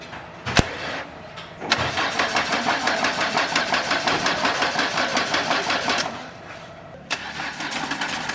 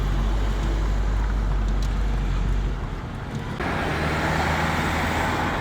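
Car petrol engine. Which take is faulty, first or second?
first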